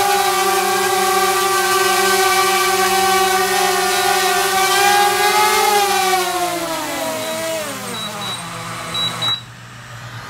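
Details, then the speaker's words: DJI Mavic Air with original stock propellers, motors at max power: steady high multi-tone whine, then even pitch drop as motors spool down; healthy motors, no roughness. "that's actually a fairly good test to hear you the noise that this makes the motors were at max power and so that kind of gives you an idea of what it sounds like"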